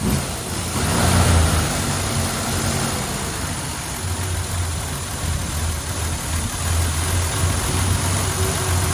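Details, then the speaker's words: 1951 Studebaker Starlight Coupe auction find, inline six-cylinder with a Carter carburetor; catches quickly and settles into a low, even six-cylinder idle with no misses: healthy normal idle. "Sounds like a six-cylinder. Not too bad."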